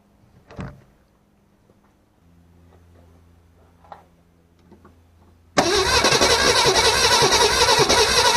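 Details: 1964 Ford Falcon starts after new fuel tank, lines and filter, rebuilt carburetor, fresh oil and filter and topped coolant: a few quiet clicks, then catches suddenly into a loud, steady run on fresh gas.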